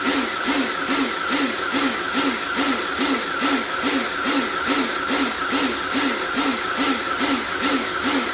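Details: Repaired Karcher pressure washer (built from B202 and K2 14 units with frost damage and motor failure), spraying: steady motor buzz with regular pump pulse about twice a second; cleans fine, pulsing cause unknown.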